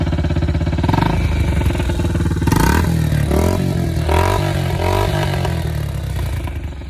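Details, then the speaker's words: Yamaha TTR90 after top-end rebuild with new piston rings, kick-started: catches, settles into steady putter, revs up and back cleanly without misses; healthy running, no smoke. "I didn't even feel like it engaged and she's running smoke"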